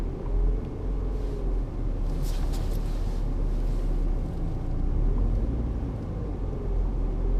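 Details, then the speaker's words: 1995 BMW E36 318i driving on local roads: heavy road rumble with a faint wavering whine that swells and fades with speed. The seller said the rear wheel bearings are worn and need replacing. "whining sound now I was told by the previous order come he could look to it and said it was worn rear wheel bearings"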